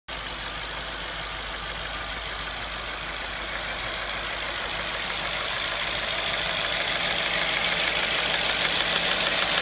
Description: A short video of my 2005 Audi B6 S4 documenting what could be a clicking or rattling of the intake manifold flap.